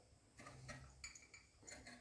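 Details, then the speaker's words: SSR 49cc pocket bike engine turned over slowly with the spark plug out: quiet, irregular snaps, grinding and scratchy scrapes in the cylinder; the recoil seizes, it won't start, and the piston rings, piston and cylinder are probably junk. "not moving freely at all in fact you can hear the snapping and grinding inside of the cylinder here"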